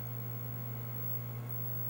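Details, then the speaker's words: Arcade game (MCR board) in cabinet after replacing the 5 V and 12 V regulated capacitors on the original board, interlock pulled: only a faint, steady low hum remains, far less than the loud hum before the cap replacement. "i'm a little bit of hum but i mean it's very i mean it's nothing like the annoyance that we were getting before which is kind of strange"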